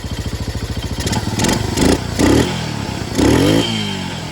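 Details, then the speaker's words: Yamaha 225DX Tri-Moto three-wheeler single-cylinder engine, carburetor needing tuning: steady, even thumping idle with no clatter or valve tappet noise, then clean blips up through the revs and back down; healthy engine. "The engine's not clattering. No valve tappage. Come around, listen to the head of the engine. She sounds healthy, dude."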